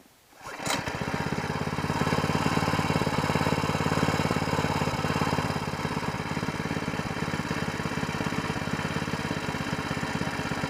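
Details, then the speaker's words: New single-cylinder mud motor (SPS Longtail) on break-in 10W30 oil, restarted unmounted so the carburetor fuel can be run out before storage. Fires after a brief pull and settles into a fast, even putter with no stumbling; normal running. "all right I'm going to try to fire it up again here I'm going to run all the fuel out of the carburetor"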